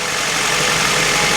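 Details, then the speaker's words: Honda Del Sol after a new fuel pump, pump primed: short stretch of smooth, even idle with no ticking, knocking or stumbling; no leaks and running real smooth. "everything works good and it's running real smooth"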